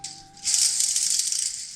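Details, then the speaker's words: Bearing from the tow truck's NP203 doubler/transfer case turned by hand on the bench: dry, gritty chatter with a rough catch; bearing locked up and spun in the case after about 1,000 miles, owner suspects insufficient oil. "Y chatter that's our noise found it we can quit looking so if you'll look at this right here you can see that this bearing is locked up at some point it's actually spun in the case"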